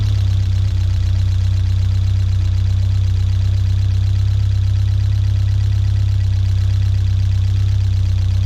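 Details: 1979 Fiat 124 Spider, about 3,000 miles, fully warmed up with the fan on, after resetting the drifted ignition timing to about 18–20 degrees; steady, smooth, even idle. Normal.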